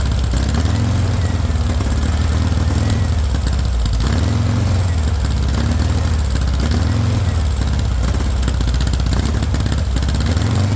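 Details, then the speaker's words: VW engine with straight pipe, first startup on starting spray: it runs unevenly, revs surging and sagging every few seconds; no fuel pressure, no fuel getting through, owner suspects a bad fuel pump. "When you spray it, it wants to rev, but if you don't give it enough air, it wants to choke out."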